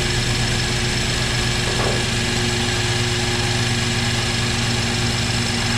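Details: First run of a freshly rebuilt, previously seized BMW 328i six-cylinder, car not fully assembled and drive shafts disconnected: smooth, constant idle with a steady hum, no knocking, ticking or hunting; healthy.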